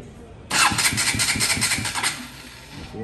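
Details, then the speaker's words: KTM Duke 200 that cranked but would not start: brisk even cranking about 1.5 s, scanner shows cranking speed over 500–600 rpm, engine fires and settles to quiet idle; normal cranking and start. "Cuando sube los más de 600 RPM es donde enciende la motocicleta. Más de 500 y encendió, más de 550 y prendió, casi 600 y prendió y se mantiene normal en mínimo, casi 600 y prendió."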